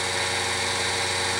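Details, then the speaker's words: Grizzly G0781 mill after belt drive conversion with Little Machine Shop kit, at full speed: smooth, even hum and light hiss, no knocks or grinding; belt drive running quiet and healthy. "hey we have belt drive folks we're in that quiet that is super quiet that's full that's full power right there like I mean full speed anyway"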